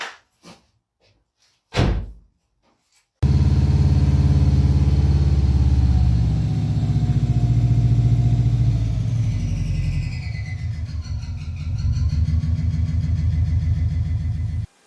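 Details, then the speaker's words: Normal running of a 2005 Subaru STi after clutch replacement; earlier horrible noise was the engine dust shield bent toward the pressure plate during engine install, bent back. After a few thumps it catches and runs clean through rising and falling revs, no scraping. "all right everyone well that horrible noise that you heard luckily ended up just being the dust shield that was on the engine got a little bent up uh towards the pressure plate while we were putting the engine in i was able to bend that out of the way and it sounds much better now"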